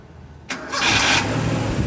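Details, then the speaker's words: Toyota gasoline engine with new battery, 12.2 V standby, about 10 V cranking, intermittent hard starting; short sluggish crank then catches and idles smoothly; cause found as loose main starter cable (misplaced washer). "Ayon parang matatawag natin na occasional yung kanyang pag-start. Hindi talaga siya all season one click."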